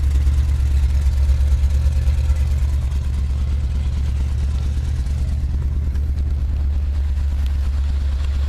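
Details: 1979 Chevy truck, 350 V8 with automatic choke: deep, steady idle with a slightly uneven, loping beat that stumbles now and then. Plugs are clean and unfouled and compression is sound. The idle misfire's cause is still unknown.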